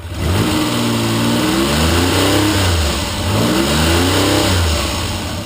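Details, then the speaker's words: T160 on first run after 37 years following restoration, ignition timing checked per cylinder: two-stroke-like revving rise and fall with a buzzy edge at the top; ignition timing on this cylinder quite a bit too advanced, if the timing mark is correct. "That one is quite a bit too advanced. Oh. If my mark is in the right place, and I think it is."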